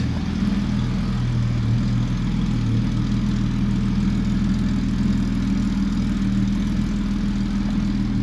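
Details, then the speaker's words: 1966 Mercedes 230SL straight-six that sat 40 years, run briefly without coolant with oil pressure pegged at about 3 bar: a smooth, deep, even idle with no knocks or misses; normal idle. "Let's do it. like it was running yesterday. Okay, we can only run it for just a second without getting coolant to it."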